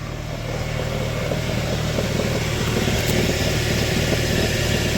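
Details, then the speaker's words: Car with a worn, loose dual-mass flywheel, heard under the car, on a mild day: steady idle with a quick, fairly even knock near four per second at the bellhousing. The knock is louder cold and calms as it warms. "Вот такой стук мы слышим под машиной. Вот такой стук в машине. Ну, сейчас не так холодно. На холодную он больше стучит, потом машина прогревается, он успокаивается."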